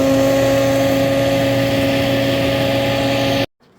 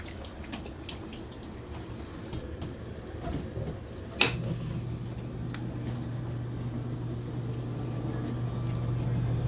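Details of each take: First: Frigidaire dishwasher during operation: loud, steady engine-like drone with a strong hum; defective motor found and replaced. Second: Frigidaire dishwasher after replacing a defective motor that caused loud noises during operation: water sloshes, then a click and a steady, low, even hum as the pump runs smoothly.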